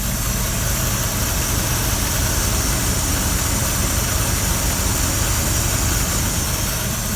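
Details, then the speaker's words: 1983 GMC K1500 Sierra Classic, carbureted, at idle; constant rough rasping grind inside the alternator, which puts out under 12 volts instead of 14.2 and left the truck dead. Owner suspects worn brushes; alternator grinding noise. "So if you can hear this, I don't know if you can, but it's grinding inside the alternator."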